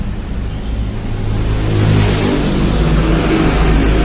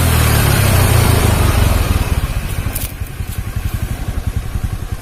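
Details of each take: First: Carbureted Honda Beat scooter pushed in running but not moving; CVT drive belt snapped and shredded, lodged in the clutch. Engine revs freely with a loose, hollow tok-tok tapping because there is no load at all; engine running unloaded from broken CVT belt. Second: Carbureted Honda Beat scooter after replacing snapped drive belt with V-belt kit: brief rev falls back to even, steady putter of three to four beats a second, no slapping or rattle; engine smooth after repair.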